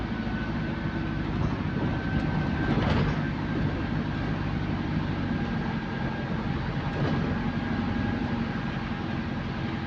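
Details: GAL EH179 electric bus on route 321, after a weird noise was fixed, heard under way: a low steady rumble with a faint even traction motor tone on top, normal.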